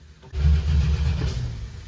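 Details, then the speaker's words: 1968 Dodge Charger parked since 1994, first start attempt: sudden low burst of firing that burbles out within about two seconds; fires briefly then dies, suspected lack of cranking ignition power on brown wire, not confirmed. "it's burbling when it stops we might not have ignition too for various reasons we don't seem to have cranking ignition power"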